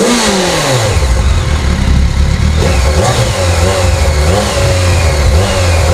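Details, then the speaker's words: Abandoned 2007 BMW K1200GT, fuel-injected inline four: repeated revs, pitch climbing and dropping cleanly with throttle, smooth with no rattles, engine sounds healthy, though it dies in gear; owner suspects a battery issue. "I don't know enough about these motorcycles to to know what to do for that but I know it runs the engine sounds good so we're going to call that a win no matter what"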